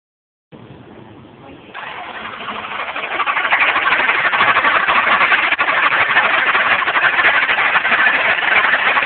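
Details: 2010 Dodge Charger: after the start the idle settles but keeps a steady skipping puff about three times a second, a cylinder no. 5 misfire from an intake valve fault.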